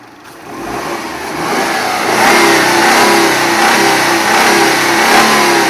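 Petrol car engine revving up with a faint, irregular knock riding on the rising engine note.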